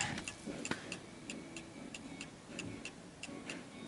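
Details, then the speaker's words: Antique Davison Bros London pendulum chiming clock, opened for a look inside, ticking crisply and steadily at about three ticks a second. It is healthy, though the tick is slightly off center. "that it's ticking perfectly fine okay"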